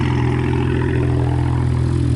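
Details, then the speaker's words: BMW E89 Z4, N54 engine, turbo-back straight pipes, cold start just after DIY intake valve cleaning: loud, deep cold idle with a faint uneven beat. Owner suspects a slight misfire, hoping it clears after a drive. "it still sounds like it's misfiring a little bit but hopefully after after a rough drive hopefully after a rough drive it's gonna be good cold start real loud"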